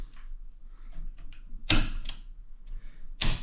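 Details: Newly installed GFCI breaker replacing a loose, arcing one, pressed to test: two sharp mechanical snaps about a second and a half apart, a clean trip and reset; the breaker works as it should.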